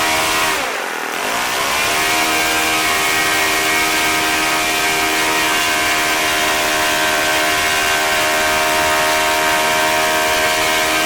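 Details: OS FS-40 Surpass four-stroke glow engine, first run after bearing replacement and full clean, new Enya No. 3 glow plug, 11x6 APC prop, warmed up at about 9,400–9,500 rpm: steady, even high buzz with no misses or sag; normal high-speed run.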